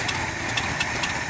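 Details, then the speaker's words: 1972 Ford F250 that sat 10 years in the woods, started with fuel poured down the carburetor, which needs a rebuild; steady even idle with busy mechanical patter, no standout knock; engine sounds healthy after storage. "But we got it started, no problem. The engine sounds good."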